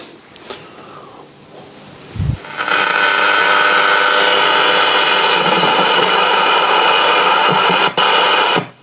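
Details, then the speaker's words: AWA B15 valve radio chassis from a deceased estate, brought straight up to 220 V, dim bulb not lighting, voltages good: loud harsh hiss and crackle over audio; dead, scratchy worn volume potentiometer. "another dead volume pot so our voltage is pretty good"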